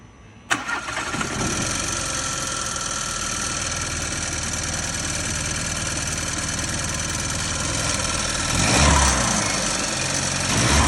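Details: Seat Leon 1.5 TSI (DACA engine) petrol starts and idles with a light, steady ticking rattle; cause unknown, not the turbo actuator.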